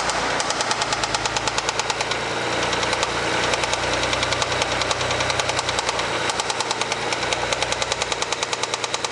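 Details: Mitsubishi 3000GT after 10 track laps with very high oil temperature, near-new Motul 300V 15W-50, light throttle: sharp metallic knocks about three per second; engine knock, owner fears rod knock, not yet diagnosed.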